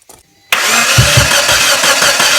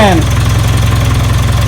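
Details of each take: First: 1996 Geo Tracker after drying the cylinders and plugs, old distributor refitted, air filter off: starter spins evenly for about five seconds, never fires; crank no start; fuel, air and spark present, timing suspected. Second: 1996 Geo Tracker four-cylinder after no-spark fixed by reinstalling the original distributor replacing a failed cheap one: smooth, regular low putter at steady idle, no ticks, knocks or misses; some smoke, sounds healthy.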